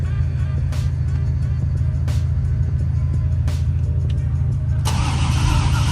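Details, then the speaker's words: 1996 Impala after Opti-Spark and tune-up: steady low cranking drone with no firing or catch; cranks but won't start, owner suspects timing though it wasn't touched. "Let's see. I said like she don't want to crank. Is that timing or"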